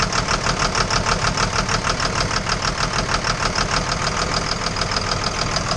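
Steady idle with a sharp, regular tapping about three times a second riding over the engine throughout; an engine knock of unknown origin.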